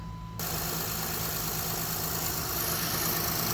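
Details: Honda J35 3.5 V6 in a 2007 Saturn Vue after a timing belt kit, water pump, idler and tensioner pulleys and hydraulic tensioner replacement; the engine catches right away and settles into a smooth, even idle with no pinging or rattle. Normal idle.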